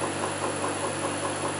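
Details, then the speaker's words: Land Rover LT230 transfer box on the bench, listened for at points on the casing: steady drone with a light tick about five times a second, loudest at the intermediate shaft; plans to strip it down again. "here tick not here there is a little bit but it's transferring through not there not there but it is loud here right where the intermediate Shack is"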